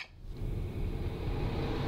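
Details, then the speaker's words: Bathroom exhaust fan turning on right away with the light: steady low hum and soft airy whoosh, no rattles or ticking; normal running. "and you can hear that the bathroom fan turned on right away"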